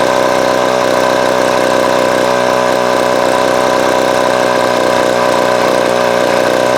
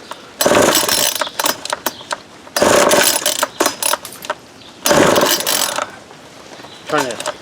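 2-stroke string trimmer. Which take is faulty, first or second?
second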